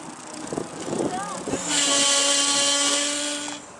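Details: Bicycle disc brake gives a loud, steady, high-pitched squeal for about two seconds when applied; suspected from uneven pad contact with the rotor causing vibration, or moisture, dust or dirt in the brakes; planned fix is sanding the rotor.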